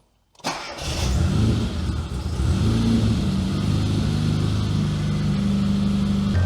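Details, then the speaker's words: Classic Mini MPI after engine rebuild and head gasket repair, vacuum lines checked, throttle body not sticking: short crank then steady idle holding noticeably fast; owner suspects a vacuum leak or bad sensor, not confirmed. "all right so it still seems to be idling quite high too high well it's high but it's not that high but there might be a vacuum leak somewhere just don't know where exactly"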